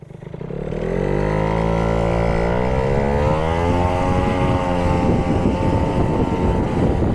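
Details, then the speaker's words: Yamaha Jog CE50 70cc two-stroke scooter on road test at about 30 km/h: engine note climbs, then goes ragged and falls over under load; bogging persists after carburetor jetting changes, owner unsure if lean or rich, feels lean. "And it's falling over. So yeah, it's still not running properly."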